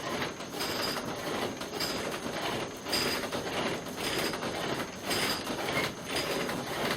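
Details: Oar drill (bow-type friction drill); even rasping push-pull strokes about once a second, no catches or stalls, spindle turning smoothly until smoke rises.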